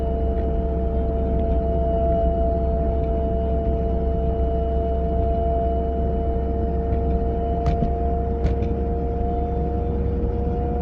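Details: A 940 at a constant 30 to 40 mph: two steady tones hold over even road rumble, a whine from the passenger side with no clear source.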